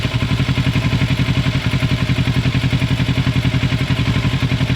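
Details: 2006 Kawasaki Ninja 650R twin at idle: light clattery tick riding each firing pulse, steady and even; owner unsure whether it is normal or needs fixing, origin unknown.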